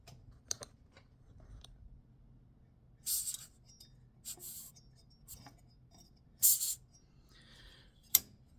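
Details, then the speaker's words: Holzfforma G366/361 chainsaw (34 mm stroke, inboard clutch) turned over by hand: short sharp hisses with each compression as air escapes past a decompression valve not fully seated; reseating it stops the leak. "so uh that's your decm valve so I was turning it around and I was hearing air leak and I is that thing leaking and I messed with it and I got it to stop leaking"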